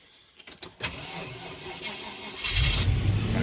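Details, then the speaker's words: 1991 Range Rover Vogue SE 3.9i V8 EFI automatic, exhaust replaced a few years ago, battery getting low: brief cranking, V8 catches promptly and settles into strong even idle with no misfire or knock; starts on the button. "And it drives beautifully. It starts on the button. Just start it up for you and see."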